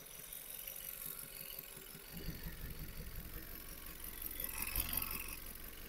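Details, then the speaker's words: Vauxhall Astra with P0300 random multi-cylinder misfire, idling with heavy crankcase blow-by: rough chuffing puffs from the dipstick tube like a steam train as compression escapes into the sump; broken piston rings, plugs sooted, coolant-oil cream. "but now explains why the engine was breathing so heavily because when we took the dipstick is literally sounded like a sounded like a track you know like a like a 2 two train oil oil was like puffing away"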